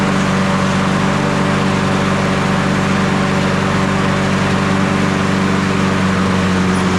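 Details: Toro 22-inch Recycler model 20379 mower, Honda GCV160 engine, running after self-propel belt replacement; small single-cylinder holds a steady, smooth, even note with no misses or rattles; running properly.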